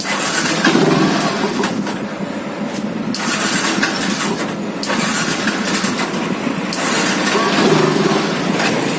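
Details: Yamaha FZ fuel-injected single with missing problem; runs but only surges a little on throttle, never climbing cleanly, sags back; refuses to take revs.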